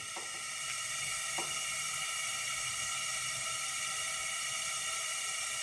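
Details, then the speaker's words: 1981 Honda CB900C, engine off, leak-down test on cylinder 1: steady hiss of compressed air escaping past the rings into the crankcase, none from exhaust or intake; gauge reads somewhat good. Worn piston rings or cylinders. "And the gauge is showing that it's good, or somewhat good, but I can definitely hear the air leaking into the crankcase."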